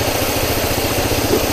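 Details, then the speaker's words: Petrol Toyota Corolla at low idle: lumpy, pulsing beat with an uneven chuff, a dead-cylinder misfire caused by a failed ignition coil giving no spark; no check engine light. "ये Toyota Corolla Excel आई है petrol, और ये missing कर रही है।"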